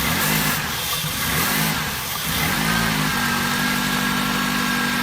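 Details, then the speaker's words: Fuel-injected car that won't start, cranked with brake cleaner sprayed into the intake: it catches and stumbles unevenly only on the cleaner, then dies; it has spark but gets no fuel, so the fuel pump or its electrical signal is suspect. "so now we know that it is getting sparked but it's not getting fuel so it'll shut off like right now"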